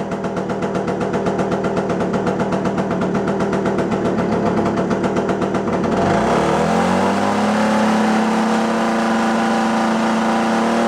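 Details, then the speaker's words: Puch Maxi moped, barn find sat 22 years, idle lower; uneven two-stroke buzz pulsing about four times a second, revs sag to a lower drone; still running rough, tune not right. "settings yeah it's still not there you can hear it in the way it's running still way too"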